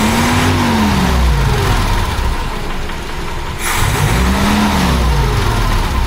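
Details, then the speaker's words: 1976 BMW 2002 running without the smog air pump: revs rise and fall cleanly twice with steady running between blips, sounding smooth; the owner notes a top-end knock that goes away with revs. "I think it likes it better without the air pump. seems to go."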